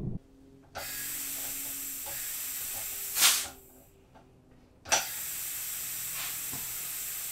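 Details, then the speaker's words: Homemade compressed-air engine mounted in a vise, compressor on, before starting: a sharp steady hiss of escaping air starts, stops, then returns; compressed air leaking at the compressor attachment fitting. "still leaking from the compressor attachment start the engine first up should flow in now"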